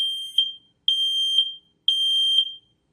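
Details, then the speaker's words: Nest Protect 2nd Gen smoke and carbon monoxide alarm running its press-to-test: three loud, shrill beeps about a second apart while it tests smoke and then carbon monoxide. The test finishes normally and everything is fine. "Testing carbon monoxide. The test is finished. Everything looks good. So as you can tell, it's fairly loud."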